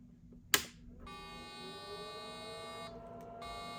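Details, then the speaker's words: Unbranded circa-1990 386 laptop (Nan Tan 8100), first power-on with the supply humming quietly: a click at switch-on, then a sustained high POST error beep; owner's first guess is RAM, not confirmed. "That's a bad sign. Well, the board's doing enough to throw out an error beep. My first guess would be RAM."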